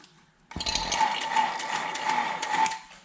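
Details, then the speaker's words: Vacuum pump just switched on, connected to a reach-in freezer after compressor replacement with manifold valves closed: fairly steady, slightly rough mechanical whir and faint tone; normal cold pump start. "You can test to see if the hoses are connected correctly, because when you open each side, the vacuum pump should change sounds a little bit."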